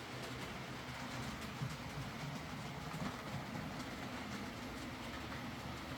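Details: Hornby R2959 Thompson L1 2-6-4T model loco, used, after greasing the worm gear to cure forward grinding from too much gearbox play: smooth, even running hum with soft rail clicks, no grinding; running sweetly.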